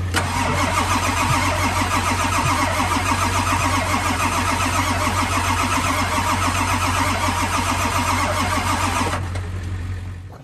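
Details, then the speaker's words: Ford F550 7.3L Powerstroke diesel, parked many years after running very rough, cold morning: starter cranks steadily about 3.5 turns a second but the cadence lurches unevenly and it never catches. Low compression, injector driver module, high-pressure oil or glow plugs suspected. "so guys hopefully you can hear that definitely not the Cadence that this engine should have when it's turning over"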